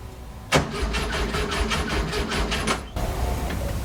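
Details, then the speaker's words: 1967 VW Fastback flat-four, gas shot down the carbs: steady rhythmic cranking about three compressions a second with no firing and smoke from the distributor. "well after frying not one not two but three ignition modules i finally figured out what's wrong i was hooking up an extra wire that was had power to the negative side of my co"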